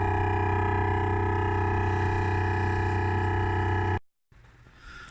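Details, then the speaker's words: 2015 Renault Grand Scenic with Bose sound system and R-Link: loud drill-like electronic drone near 100 Hz with buzzy overtones continuing with engine off and audio off, then sudden silence; head-unit software fault needing reprogramming, later resolved. "The engine is now off, the noise is still going. From the Bose sound system. It's coming from the Bose sound system. So it's something to do with the sound."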